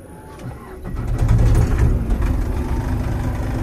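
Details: Old Case International 8840 swather diesel, running on one battery after a loose battery cable was fixed: brief cranking, catches within a second, settles into a steady, even idle; starts and runs normally.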